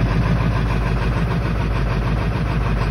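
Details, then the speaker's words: 1997 Ford F-550 7.3 Power Stroke diesel, very cold after sitting three weeks: deep, even diesel clatter at steady slow idle with no misses or knocks; normal cold idle. "wow that is not bad for three weeks she is cold"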